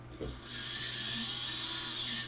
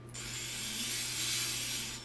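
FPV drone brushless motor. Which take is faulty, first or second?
second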